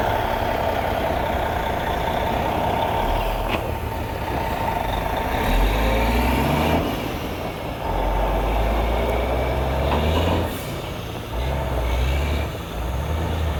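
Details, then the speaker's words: Heavy log truck with a new reman Cummins N14 diesel, loaded and pulling out: deep, even pull climbing and easing with throttle, no knocks; healthy new engine working hard under load. "Oh yeah? Oh, Stevey is tight. There you go, Stevey, that'll get her. Putting that new motor through his paces."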